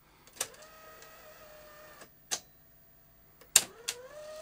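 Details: CVC-format video recorder (Technicolor Showcase or Grundig VP100) after fitting new belts: a small motor whirs steadily between crisp mechanical clicks when play is pressed, with no chattering or clattering; the tape laces normally.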